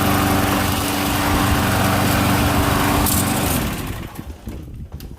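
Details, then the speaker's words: MTD Gold mower, Briggs & Stratton Quantum engine, after repair: harsh, loud small-engine exhaust bark at steady speed, then winding down; muffler only partly fastened because its bolt was broken, letting extra noise out. "uh yeah i got the muffler kind of fixed but that bolt was broken it's uh it's loud i mean it's noticeable the muffler isn't right but whatever it runs quiet enough"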